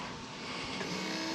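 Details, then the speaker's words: Thorp S-18 experimental aircraft before its first engine run-up, electric fuel boost pump switched on about five seconds to check for leaks: faint steady hum under background hiss; pump running. "It's on. We have the pump."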